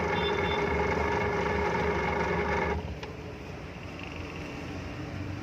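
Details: Lazer single-phase 230 V 50 Hz kitchen exhaust fan motor, before repair: a loud whirring drone with a steady rough rattle about four times a second, then it shuts off; worn motor bearings, to be replaced.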